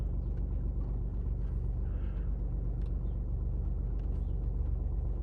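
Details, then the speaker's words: BMW 116d diesel cold idle at 11 °C outside after oil change; even low clatter at steady idle, no misses or knocks, running as smoothly as if warm; healthy. "sanki sıcak çalışıyormuş gibi arkadaşlar"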